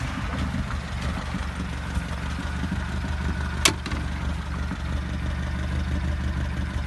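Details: Volkswagen Golf at low steady idle: faint light ticking over the engine with one sharp click. Owner suspects the hydraulic lifters; not confirmed.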